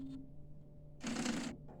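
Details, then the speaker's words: UV printer: low motor hum, then a brief harsh grinding as the head carriage shaft lift gears slip on misaligned sprockets and the shaft does not lift. "yeah so the mechanism is not lifting at all so I'm guessing we should try to push it bit more to the inside let's try one more time so this is not so yeah the gears are not catching the lift over here"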